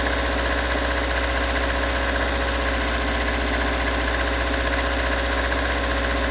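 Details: Toyota AE86 with stock bigport (blue top) 4AGE, unmodified, regularly maintained, about 195,000 km; cold engine idling unevenly with loose irregular knock roughly two per second; recorded at exhaust, cabin and engine bay; cause not located.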